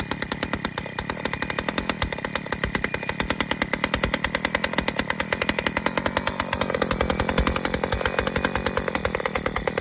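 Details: 1985 Honda Spree two-stroke scooter, after a hard-starting problem, now running: small two-stroke buzzing at a fast, even idle with a crisp raspy exhaust; cause of the hard starting not stated.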